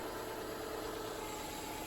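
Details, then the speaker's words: Subaru idling after the squeaky serpentine belt was retensioned to its marked position: steady, even idle with no squeal or chirp; owner notes it may still squeak on a cold start. "and we've got no squeaks happening however don't leave yet you're going to want to pay attention to the temperature because if you start this thing up in the cold temperature it's probably going to squeak at least it was with mine"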